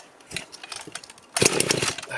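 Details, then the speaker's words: Rebuilt Husqvarna 51 chainsaw, first start after cylinder teardown and carburetor refit: uneven coughing pops catching into a ragged burst on choke, the start smothered by a lot of oil pooled in the bottom end. "it's got a lot of oil on that bottom end so it's not going to go anywhere"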